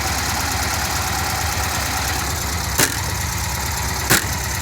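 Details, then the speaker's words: VW Kombi air-cooled engine after long repair, starter motor still to be replaced: steady even idle, no knocks or stumbles, a couple of background clicks, no oil leaks; runs smoothly and healthy. "Все работает нормально, посмотрите на двигатель, как он работает ровно, сильно отличается от других"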